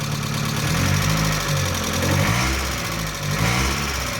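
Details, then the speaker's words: Mazda Miata 1.6 just restarted after lifter cleaning and retiming, lifters still filling: uneven idle surging and sagging about once a second, close to stalling; owner suspects timing still slightly out and plans to reset base timing. "So I'm sure the timing's still a little out. I'm gonna have to probably reset base timing. In fact, it sounds like it's dying now."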